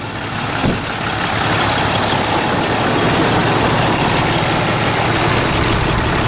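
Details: 2010 Dodge Ram 3500 Cummins 6.7 diesel after a water pump replacement, at operating temperature after throttle snaps: loud, steady diesel clatter settles into an even idle with no misses, knocks or rattling. Healthy idle.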